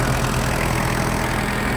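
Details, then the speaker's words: Kubota GT-3 mini tractor, 4-cylinder liquid-cooled diesel, 570 engine hours, idling under the open hood: steady, even diesel chug with no knocks, rattles or extra noises; normal idle. "Все работает ровно, тихо. Никаких подтеков, никаких лишних шумов здесь у нас нет."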